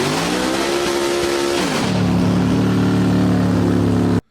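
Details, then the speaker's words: Record-holding all-motor Mustang, conventional big-block Chevrolet V8, on old roller dyno after wiring makeover: high steady note dipping as tire breaks loose, then pulling hard and clean until cut; engine strong, normal. "Um the engine runs strong, sounds good."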